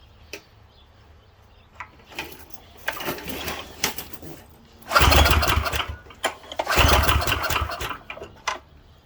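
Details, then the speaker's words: Late-60s Heathkit Boonie Bike with Subaru 170cc engine (about 5 hp), old stale gas, given a sniff with choke: catches in short ragged bursts then dies each time; no gas coming out, clogged carburetor inlet. "the fact that no gas is coming out it's not a good sign"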